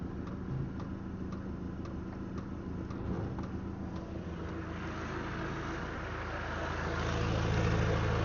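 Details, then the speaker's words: Land Rover Defender 90 with newly fitted diesel heater, engine running: light, even ticking about twice a second from the heater fuel pump pulsing while priming; owner finds the clicking annoying. "The only thing that's annoying me is I can hear the fuel pump clicking"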